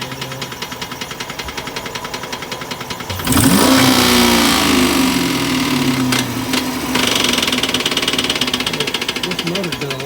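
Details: Used engine bought online, warm, 20 psi oil pressure: a steady deep knock, about four a second, growing louder as it revs; spun rod bearing that appeared while driving after a proper warm-up.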